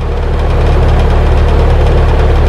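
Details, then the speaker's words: HVAC compressor with a history of hard starting, before fitting a hard-start kit (start capacitor and potential relay); loud steady low hum without reaching running speed, compressor failing to start. "actually didn't even start at all you can hear it trying to start it's not starting"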